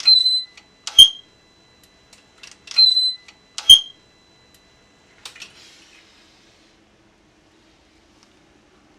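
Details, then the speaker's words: BMW R1200GS exhaust flapper valve, previously freed about 12 months ago, after a long wet, muddy ride: sharp screech each time the valve swings end to end during the start-up cycle, then quiet; suspected lack of lubrication, graphite planned. "yeah, distinct screech as it goes from one extreme to the other."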